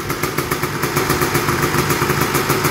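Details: Honda TRX250R after full frame-off restoration, first startup, aftermarket Chinese carburetor: crisp, even two-stroke popping at a steady fast idle with no knocks or misses; idling cleanly.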